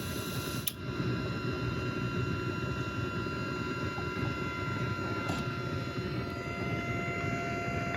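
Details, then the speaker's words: ISA sound card output with the PC powered off, gain 30 dB, comparing speaker out vs line out: steady hiss with low hum and faint fixed tones persists at about -47 dB even with the computer off, pointing to an electrical or grounding noise fault. "well, there's still there's not as much, but there's still a phenomenal amount of noise coming out."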